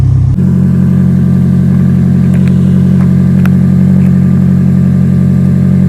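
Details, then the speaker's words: 2011 Toyota Camry at idle with a leaking exhaust flex pipe: a deep, steady, loud drone with an even low throb and no knocking. The owner believes the flex pipe leak is causing the noise, not yet confirmed by a muffler shop. "oh that's how she sounds right now okay so she's pretty much loud pretty much she's loud okay she sounds like a scatty sounds like a scatty with the scit pipe"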